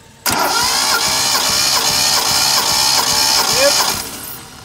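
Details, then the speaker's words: 1972 Datsun Cedric six-cylinder being cranked by the starter for a compression test on the fourth cylinder, reading 10.5; steady, even pulses with no firing. Readings are similar across cylinders (about 10.5–11.5). "So far so good. Compression quite similar for all of them."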